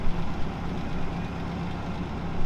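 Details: Cadillac V8 barn find, revived after about 30 years sitting, after a 369-mile road trip it completed flawlessly (smoked a bit at first): steady, even low rumbling idle with no knocks or misses, healthy.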